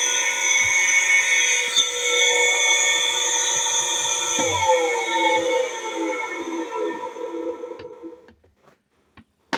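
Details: Kawamoto N3-206SH well pump, missing its flange and accumulator, water suction unverified: a high, ringing, multi-tone whine that sinks as the motor coasts down. Abnormal motor noise, cause unknown.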